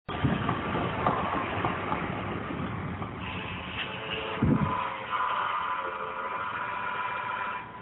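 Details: 1998 Ford Taurus SHO, 80k miles, engine running with a steady mid-pitched whine holding an even tone; cause unknown, doesn't affect driveability, just annoying.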